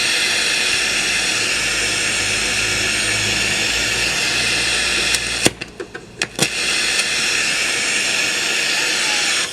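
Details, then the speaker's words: 1990s Polytron PSC 35WB radio cassette on FM stereo band: steady even hiss with a few sharp clicks from a dirty switch, no station received, sound only from the right speaker. "कोई भी radio station नहीं बज रहा है। केवल सरसराहट की आवाज़ आ रही"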